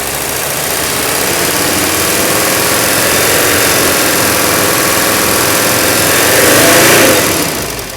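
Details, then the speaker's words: OM617 turbo diesel in a 1981 Mercedes 300SD raised off idle to a fast idle, where loose pistons or worn parts would show: even, smooth clatter with no knock or rattle; healthy, tight engine. "Look at it come off idle, and you can see how those injectors just move right out. Right there, that's a sweet spot. This is the spot, if you've got any loose pistons or worn engine parts, you'll hear it right about here."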